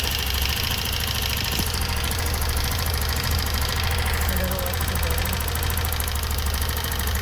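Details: 2025 TVS Jupiter 110 BS6 scooter with customer complaint of engine noise, body panels removed: steady idle with fast light metallic ticking from the valve cover. Loose tappets (valve clearance) diagnosed before adjustment.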